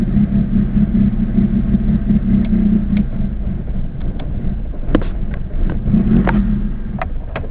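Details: Acura Integra with a B18 engine that suddenly won't start without pressing the gas: an uneven, loping idle that surges and sags with scattered stumbles, sounding cammed. Rough idle of unknown cause.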